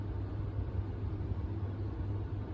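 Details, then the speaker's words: Never-installed GEC Raffles decorative ceiling fan at full speed: steady low hum with a faint, mild magnetic-flux buzz from the motor, nothing major. "it's pretty quiet but you can hear a bit of a a buzz sound a bit of a cylic flux buzz sound but um it's nothing too major"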